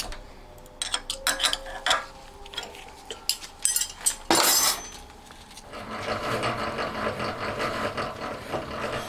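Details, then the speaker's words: Homemade honing tool for a four-cylinder Honda Monkey engine, spun in a milling machine with a universal joint: rapid metallic rattle chatter caused by the joint vibrating; removing the joint gave smooth cutting. "これもうまくいくかと思ったんですが、どうも関節自体が振動の原因になっているようですね。"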